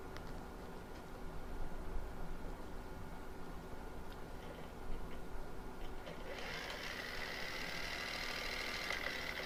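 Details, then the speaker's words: Small brushed drone motor bench-tested with two screws removed, wired black to black: quiet, even spin with a smooth high whine, no knocks or rattles, slower than in flight; normal healthy motor. "And it's not turning it as fast as when it's running, but you don't need it to. You can hear it's kind of smooth."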